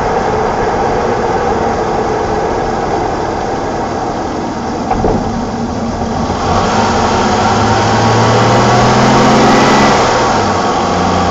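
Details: BMW E28 520i, 1987, M20 2.0-litre six-cylinder (129 PS), nearly 400,000 km, running excellently again; even, smooth idle hum, then clean revs rising and settling with no knocks or misses across driving states; healthy engine.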